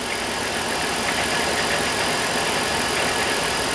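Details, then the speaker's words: Dodge 3.3 V6 minivan with close to 200,000 miles, just started after a head gasket job, coolant not yet topped up: light fast ticking about four per second over an even idle; owner suspects lifters still waiting for oil. "It's running good. I can hear the lifters a little bit. I'm wondering if oil needs to pump through there since the push rod tubes were"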